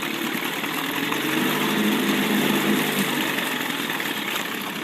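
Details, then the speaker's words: 1976–1980 Chrysler Sailor 250 10HP long-shaft two-stroke outboard, running after a head resurface and new head gasket, in forward gear at very low speed in a test bucket: a smooth, steady putter with water churning, running evenly and healthy. "kind of nice because you can run it real low like that and it'll throw around all day long"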